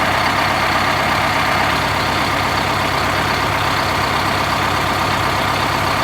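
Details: 1971 MCI MC7 bus, recently installed Detroit Diesel 8V71 two-stroke with automatic, started after oil and filter change and air filter service: steady, even idle with firm low rumble, no knocks or misses; healthy engine.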